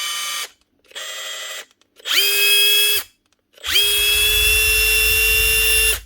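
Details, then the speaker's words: Makita DTD154 brushless impact driver after repair, with a new front gearcase replacing the failed needle bearing: clean free-running bursts with a steady high whine and no rattle or grinding. It now sounds healthy. "nice one nice one that's her one Makita DTD 154 brushless impactor with a new front gear casing"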